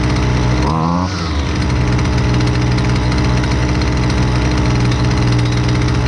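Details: Husqvarna 128LDX two-stroke string trimmer, fixed after sitting unused: quick rev change early, then steady high-speed buzz, smooth and even with no misfire; normal running.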